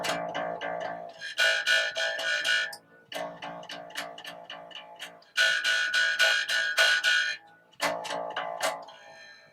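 Bass notes plucked in quick runs ring clean and clear, with no buzz or rattle from the strings.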